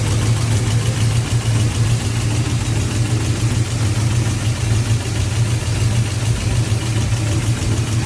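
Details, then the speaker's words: 6.0 V8 swapped Cateye truck at idle just after BTR Truck Norris cam swap: loud sharp knock repeating with engine beat over the rumble, first suspected rod knock, traced to failed lifter. "so when we first started the truck up after the cam swap we had some really loud noise"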